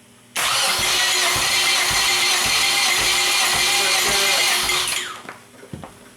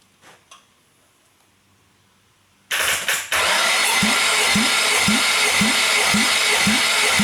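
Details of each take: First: Nissan SR20 engine for Sentra swap, compression test while cranking via starter tapped to battery: even cranking with regular pulses about two per second; just over 125 psi in that cylinder, good. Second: Nissan SR20 engine, intended for a Sentra swap, cranked for a compression test; even starter cranking with steady compression pulses; this cylinder reads about 125 psi.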